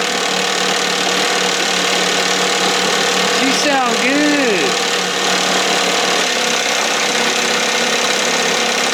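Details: 1968 Evinrude 6 hp two-stroke outboard on a stand in a water tank, throttle just above timing mark, feeling warm: steady buzzing, slightly soft and fluffy but even, no misses or surging; running fine.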